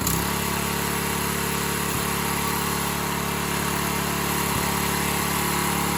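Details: Free Briggs & Stratton 3.5hp edger engine, model 091202, with carb issues (stripped bottom carb screw fell out): holds a steady, even idle with a smooth, unchanging beat throughout; normal running as it stands.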